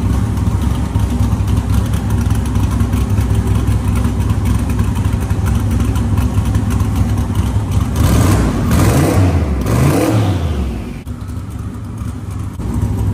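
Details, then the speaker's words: 1970 Chevrolet Nova with GM 572ci big-block V8, Tremec TKX 5-speed, carburetor retuned; even lumpy idle then two crisp throttle blips with no misfire or stumble, healthy. "yeah that sounds a lot better than the last engine yeah that that engine has uh a little bit more pop to it and it grabs really nice"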